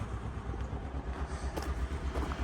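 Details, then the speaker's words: Salvage auction car: low, lumpy idle with uneven, loping beats and the engine shaking; rough idle misfire. "Got a misfire. Hear it."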